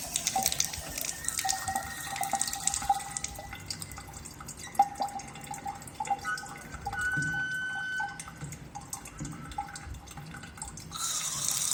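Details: Faucet that keeps dripping: drops plink into the basin with bright ringing pings and a faint high squeal. Owner suspects an aged, hardened rubber washer or a faulty ceramic valve cartridge; unconfirmed.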